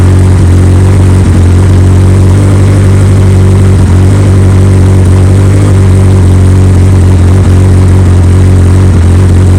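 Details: 2003 Yamaha R1 with full Akrapovic exhaust, check engine light showing code 18 despite Graves servo buddy, idling: loud, steady, even deep burble, no knocks, misses or rattles; normal idle.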